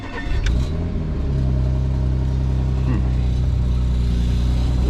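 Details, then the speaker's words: Car at dealer auction, start: engine catches and settles into a loud steady low idle with a rough undertone; sounds off, cause unclear. "what's that? Oh, I don't like that. That sounds crappy."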